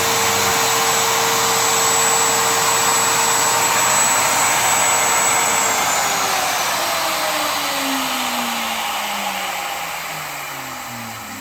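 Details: Router running free: loud steady high-pitched whine, then pitch falls smoothly as it spins down; healthy.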